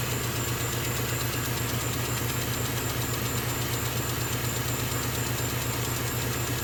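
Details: Small air compressor beside a laser engraver while it kicks in during engraving: a steady low hum with even pulsing around 100 per minute and a constant high whistle. It runs normally and is relatively quiet.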